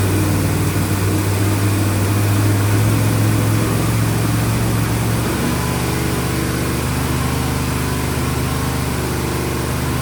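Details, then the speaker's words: 1970 Dodge Charger V8 idling after a fuel pump install, first run in at least 18 years: steady idle with an occasional uneven beat, a mild stumble, a slight misfire; exhaust smoked at first. "It's been sitting here idling for a couple of minutes. It sounds pretty good. It's got just a slight misfire to it, but not bad for not running in 18 years."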